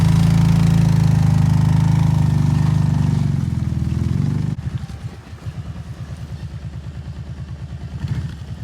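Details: Small two-stroke outboard on an abandoned jon boat, parked since before winter and of unknown running condition, drops from a fast run to a steady, even idle burbling about four beats a second; running smoothly.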